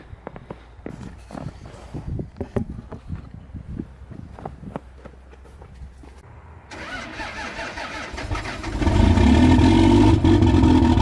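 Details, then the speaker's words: Older Cummins diesel truck cold-started at -1 with no grid heaters and no block heater; slow cranking about four beats a second, then catches and runs loud and rough; rough cold start, still too cold without intake heat. "Still too cold for the old Cummins, I guess."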